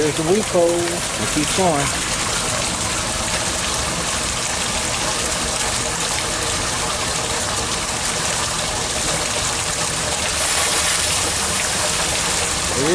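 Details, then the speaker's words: Sump pump in a deep basin, discharging through a 2-inch pipe to a gravity transfer tank: a loud rushing gush with slurping, spluttering surges as the pump empties the basin and starts sucking air. "sucking air out of there you can hear it"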